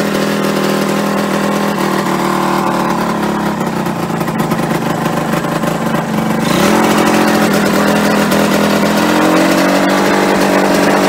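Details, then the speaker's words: Yamaha RD125LC two-stroke after standing 17 years: fast, steady buzzing idle that never settles, then steps up higher still; idle set too high, owner plans to adjust the carburetor side screw to lower revs. "there's a screw on the side of the carburetor that might bring the revs down a bit hopefully so I'll give it a tw"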